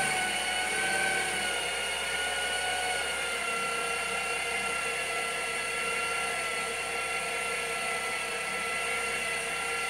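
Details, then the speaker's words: Saab 9-3 B207 restarted after water pump replacement, before coolant bleeding: steady high-pitched multi-tone whine over an even idle, not its usual sound; belt or water pump suspected, unconfirmed. "je pense que la courroie fait un bruit bizarre j'ai redémarré j'entends toujours le bruit mais j'arrive pas trop à savoir ce que c'est"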